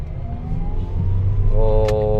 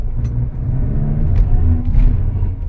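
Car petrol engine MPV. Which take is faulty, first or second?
second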